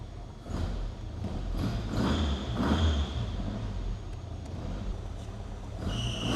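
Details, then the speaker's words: 7A-GE-swapped Toyota Echo after adjusting settings in the Haltech ECU: a low, steady idle rumble with gentle swells, no knocking or misfire, fresh exhaust coatings burning off, good oil pressure. Normal idle. "There we have it. Adjusted a few settings in the Haltech and now it's idling pretty good."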